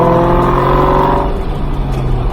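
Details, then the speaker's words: 2003 SVT Cobra supercharged V8 revving hard, exhaust roar with a clear high blower whine climbing and falling alongside; the normal supercharger whine unique to 03–04 Cobras. "That's something that is unique to the 03 and 04 Cobra, that blower whine."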